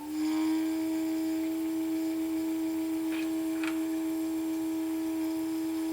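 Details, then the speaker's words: Electric BMW 320i conversion: first leak-check run of small electric coolant pumps, which may take a few minutes to spin up. Steady hum near 300 Hz with water flowing, but the pumps were found mounted upside down. "But unfortunately, what I found out was I had the little pumps mounted upside down."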